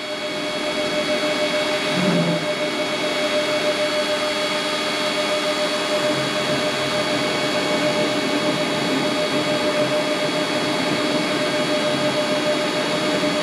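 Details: Mini lathe drilling into stock on tailstock, locked tailstock, cutting oil applied, feeding slowly; steady even spindle hum with light constant cutting hiss, no chatter or squeal; normal center drilling.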